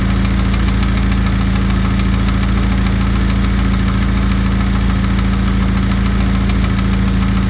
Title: ea888 piston slap